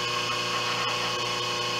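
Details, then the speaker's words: 5 HP inverter-rated three-phase idler motor on a 5 HP rotary phase converter control box, running at 60 Hz on the bench during voltage tests: steady even hum and whine, running smoothly. "this motor doesn't seem to be laboring doesn't seem to be having any issues at all"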